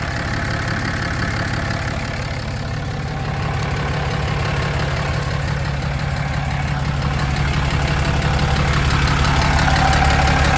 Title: 2016 Cummins 6.7 Knocking/ Clicking noise under the engine, 75k miles